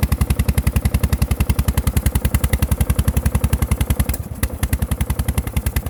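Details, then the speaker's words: LT1000 engine before head gasket replacement: heavy low thumps about three and a half per second with a brief stumble; low knock suspected from a connecting rod, sputtering suspected from a valve. "but that very low knock that you hear uh that that sounds it sounds like the connecting rod that very low that very low knock but i don't think that's why you're getting the sputtering i think the sputtering is coming from a valve"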